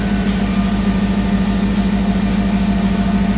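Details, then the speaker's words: Jeep TJ on newly installed ACES Jackpot EFI replacing MicroSquirt, cold garage: steady even idle, smooth low hum, regular firing pulses, no pinging or stumbling; runs clean, unlike the old setup's shaking. "it is cold in here but it sounds much better"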